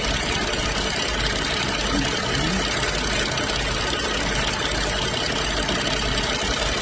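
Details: BMW X5 N55 after valve-cover PCV repair with new membrane and spring, cap siliconed and clamped: even steady idle with a smooth hiss on top and no stumble, shake or misfire; normal idle.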